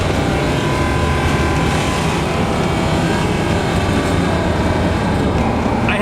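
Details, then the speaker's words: Rally Fighter after transmission rebuild: loud, rough low drone with a steady hum from startup up to about 1500 rpm, whereas before it only began at 1500; noise has returned, and the owner has no idea of its cause. "Now it's doing it right from the time you turn it on, as you can hear right there, up to about 1500 RPMs, whereas before 1500 is when it started to make the noise."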